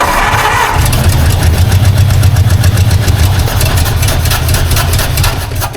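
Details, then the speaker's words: 1952 Ford Crestline engine after pinching off the suspected wiper vacuum line leak: lumpy, uneven low beat about four pulses a second, sounding lean and thirsty; fuel-starved running. "so I don't know if it's tied in inside the car or not a little thirsty"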